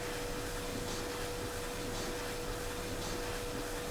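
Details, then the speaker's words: White Knight Eco 43A gas tumble dryer, about 10 years old, with a drum-won't-turn fault, after the machine was reassembled. A steady motor hum with a soft swish about once a second as the drum turns; running normally. "okay the machine is live again that's let try start that's more like it now it should start"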